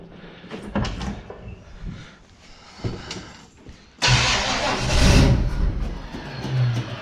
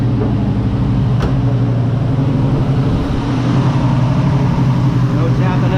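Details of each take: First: 1969 Chevrolet Nova, ignition wire just reconnected: uneven starter churning with bursts and pauses, then a louder rush, but engine won't catch; carburetor not squirting fuel yet, starter sounds unhappy. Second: 1969 Nova V8: deep, steady rumble, much quieter with no tapping or ticking; normal running.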